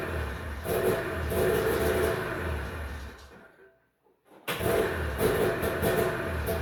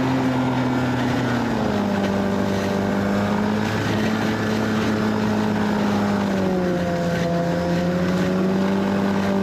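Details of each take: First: 1991 Arctic Cat Prowler 440 liquid-cooled two-stroke snowmobile, revived after 4 years of storage: runs raggedly, dies to silence, then fires again. A spring-loaded throttle safety switch cuts the ignition; it runs fine with the switch held closed and dies when released. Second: 1991 Arctic Cat Prowler 440 two-stroke snowmobile after revival: carbs checked, fresh fuel, throttle safety switch bypassed, earlier one-coil miss resolved. Steady, buzzy pitch easing up and down with throttle, some wind, no stumbling. Flawless after about an hour's riding.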